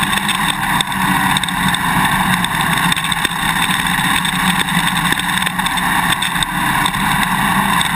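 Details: GoPro Hero 2 on a dirt-bike swing arm while riding: light, irregular clicks tick over steady engine and wind roar. The quick-release buckle is vibrating in its mounting bracket; cure it with the vibration plug and tape or straws between the parts.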